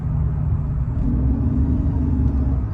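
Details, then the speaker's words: 2005 Mercedes CL600 twin-turbo, driving under acceleration: steady mid-pitched whine rising over the engine rumble, audible in cabin, with power loss; owner suspects turbo or transmission, previously went into limp mode, unconfirmed. "All right, we have a problem here. You hear that? As I'm accelerating when I'm giving it gas, I'm hearing some whining. What is that?"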